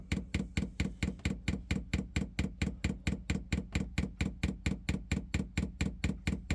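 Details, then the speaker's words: Chinese diesel air heater being fitted on a narrowboat, dosing pump priming with diesel through pipes still full of air: crisp, even clicks about one and a half per second. This is normal priming. "now you can hear it priming it's priming again still priming up the pipes"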